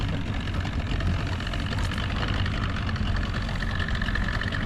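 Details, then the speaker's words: Restored 13 ft Delta T850 race boat outboard, idling on the water during its first test: steady, even low burble with no hesitations, misses or stumbles; idling nicely and running great. "Motor seems to be running great though. There's no It sounded good. hesitations in it. Sounds good. It's idling nice."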